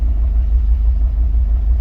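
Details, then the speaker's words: Jeep Wrangler idling while a Launch bi-directional scan tool cuts injector number 2: a low, lumpy idle with an uneven loping beat as the cylinder misfires. "Injector number 2. Can you hear that? Hopefully that you can hear that. You can hear it misfiring."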